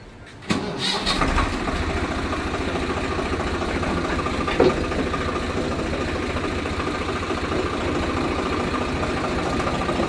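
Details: Tractor with rotavator after the shaft lock was opened and the shaft pushed in: engine starts, then settles into a steady, even run with the rotavator turning smoothly; the earlier knocking and shaking are gone.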